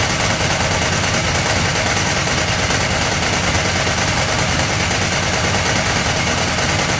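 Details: Ducati 998 Testastretta V-twin running after inspection service and diagnostic tester check: loud lumpy beat with dry clattery chatter, steady throughout; healthy engine.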